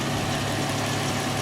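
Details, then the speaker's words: 2021 Dodge Challenger rental car with a Chrysler minivan engine, at idle: steady hum with a faint, irregular tapping riding over it. Engine knock at idle, source not pinned down; these engines are reportedly prone to cracked heads. "pretty sure these engines have some issues with cracked heads as well so I've heard oh listen to that it's got some knocking going on"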